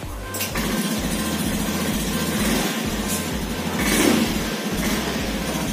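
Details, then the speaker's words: 2018 Honda Scoopy scooter after repairing rat-chewed side-stand switch wire that prevented starting: starter catches quickly and settles into a steady, even idle with no misses; starts and runs normally. "Kita tutup itu nyalakan terus lagi dan normal ya."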